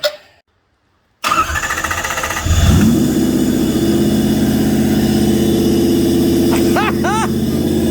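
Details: Toyota 1UZ-FE V8 (Bushlux), sat for years, after freeing a sticking valve and sanding a worn cam lobe: catches after a short crank and settles into a steady, even idle on all cylinders, no misses or knocks; normal running.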